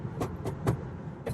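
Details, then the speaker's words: Rented 2021 Tesla Model 3 Long Range Dual Motor, under 9,000 miles, driving: sharp irregular plasticky clicks about every quarter second over faint road hum; loose interior trim rattling over bumps, driver suspects rear driver's side door panel. "They're just a bunch of things that like just sounds like they're held on with zip ties. Well, not even zip ties, because then they would be quiet."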